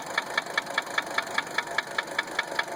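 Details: 1980 Mercedes 300SD diesel at idle: sharp, even metallic knock about five times a second. Injector nailing was suspected; cracking the lines on injectors 1–3 made the sound deeper, while loosening the lines on 4 and 5 changed nothing. Source not confirmed.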